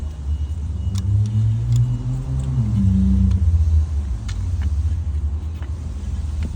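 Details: Dodge Ram 1500 V8 idling with light irregular ticks, then rising with a rev and settling; rattle suspected to be timing chain noise, not confirmed.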